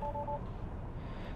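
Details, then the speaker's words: Tesla Model Y after jump-starting a dead 12V low-voltage battery: two quick double-tone chimes over a quiet cabin hum as it warns electrical system backup power unavailable, vehicle controller condition. "Oh, electrical system backup power is unavailable. So, that's interesting. Um, condition detected with a vehicle controller."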